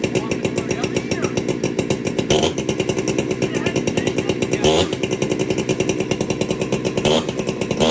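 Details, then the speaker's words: Warm chainsaw, low jet set to one turn out: busy, slightly uneven two-stroke buzz that sounds thin and hungry. Lean low-speed mixture suspected, low jet starting to starve for fuel. "That sounds to me a little bit lean on the low jet. Okay. It just sounds, it could be almost starting to starve for fuel."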